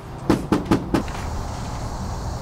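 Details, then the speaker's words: 2015+ Subaru WRX trunk lid with no sound deadening, as bought: quick hollow metallic knocks and a dull rumble as the bare sheet metal vibrates, partly from the license plate. Sound deadening planned. "You hear the vibrations. I mean, part of it is the license plate. I know that, but it's still nothing there."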